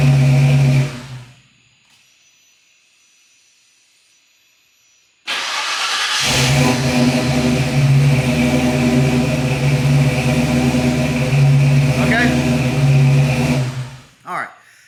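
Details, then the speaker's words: Custom-tuned Fox-body Mustang: engine fires and idles with a throbbing, slightly swinging beat before shutting off, showing occasional idle swings. Cause suspected, not confirmed. "right this car has been custom tuned and it's a good tune car runs great but occasionally we have some idle swings"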